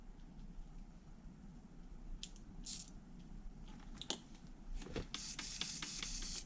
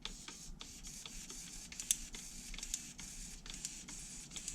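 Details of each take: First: HPI Savage 3.5 nitro RC truck, bench test of used steering servos: quick whirring bursts as the servo sweeps back and forth, smooth and even with no gritty catch, unlike a rougher one tested before. Normal servo operation. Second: HPI Savage 3.5 nitro truck, brake/throttle servo powered via receiver: fast dry ticking and gritty buzz as the servo clicks inside and fights itself; worn, binding brake servo, throttle servo okay.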